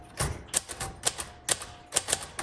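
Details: 1956 Royal Quiet Deluxe manual typewriter, typing test: crisp, irregular key strikes with sharp metallic snaps and a bell-like ping; smooth, healthy typing action.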